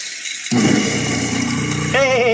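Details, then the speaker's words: Jammed garbage disposal, freed by turning it with a cordless drill, run with water flowing: jumps straight to a smooth even whir with splashing, no grinding or stalling; spins freely again. "this sounds like she's a sounds like she might be free spinning now"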